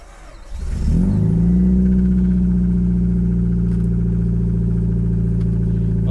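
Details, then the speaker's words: Newly bought used Subaru, cold start; catches and settles into a loud, raspy, boomy idle with open chuffing note, exhaust disconnected underneath: exhaust leak. "she's cold, all right. That exhaust is no longer connected under there."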